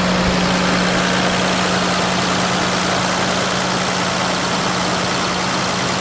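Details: 1989 Toyota Land Cruiser FJ62 3FE petrol engine, first start after smog/EGR delete: steady, even idle with low rumble, no hunting, miss or stumble; feels peppier, breathes better; normal idle.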